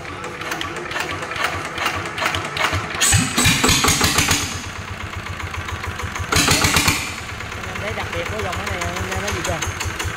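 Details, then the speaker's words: NF19 single-cylinder diesel, 16 PS, original, hand-crank started, unwashed: after a couple of bursts a steady even thump with no knock, miss, vibration or shaking; healthy running. "không có rung nó không có lắc luôn á"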